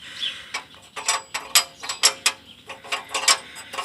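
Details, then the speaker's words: Exhaust flex pipe: irregular tinny metallic rattles, several a second, with no engine rumble underneath; the loose, worn flex pipe was making the noise and was cut off. "here's a part that was making all that noise"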